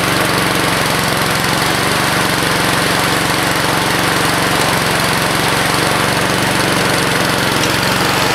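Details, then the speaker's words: 2014 Husqvarna HU700F self-propelled mower, Honda GCV160 engine, fresh gas in previously empty tank, no carb clean: steady single-cylinder putter at fast even beat, no misses or surging; clean, healthy run. "but yeah man it's a Honda starts right up"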